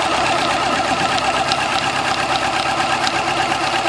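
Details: 2000 Yamaha YZF-R6 at idle: fast light metallic ticking keeping pace with engine speed over four-cylinder idle; cam chain tensioner tick, fixed by replacing the cam chain tensioner.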